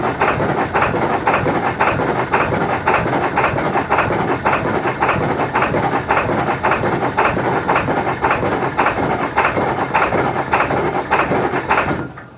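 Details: 2002 Ford F-350 Super Duty 7.3 diesel, cold morning: slow, uneven cranking for about twelve seconds without catching; hard start due to a bad glow plug relay.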